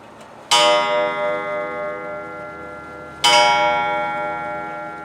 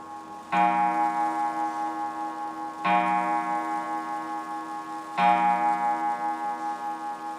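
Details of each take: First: Free German clock being restored, which ran only when tilted: two long ringing gong strikes about three seconds apart at the half hour, where one is expected; the strike is out of step with the hands. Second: German wall clock, restored free Marketplace find with new pendulum-arm spring, after reassembly: three clean ringing gong strikes about 2.5 s apart, each decaying evenly; striking train works properly.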